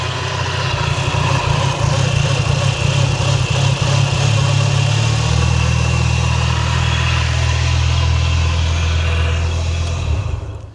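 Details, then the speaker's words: Audi RS3 2.5-litre five-cylinder (DAZA) swapped into a Skoda Octavia vRS Mk III facelift estate with custom exhaust, idling: steady horrible whirring whine over low rumble, diagnosed as a worn alternator bearing; new alternator to be fitted. "It's a horrible whirring noise and I did diagnose it, luckily, as an alternator bearing."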